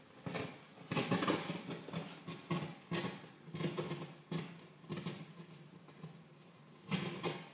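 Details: Modded Marshall JVM amps after warm-up in standby off: irregular sharp crackles and pops in uneven bursts growing louder; absent on headphones and with V5 preamp tube pulled, so preamp section suspected; both amps affected.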